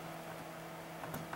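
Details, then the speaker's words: Fluke PM6680B frequency counter after replacing its failed precision reference IC in the flyback switching power supply: only a low steady hum, the earlier high-frequency squeal gone, running quietly. "I don't hear any of that weird noise he was making anymore sounds good"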